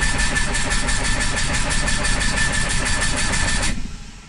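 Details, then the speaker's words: Diesel voiture sans permis (microcar) that consumes coolant and has lost power cranks slowly and unevenly, about three beats a second, without catching; battery is fine, coolant is entering the cylinders from a head gasket leak. "alors je vous rassure la batterie là on pourrait croire que la batterie est à plat en fait la batterie n'est pas à sa place j'ai tout simplement du liquide de refroidissement qui arrive dans les cylindre"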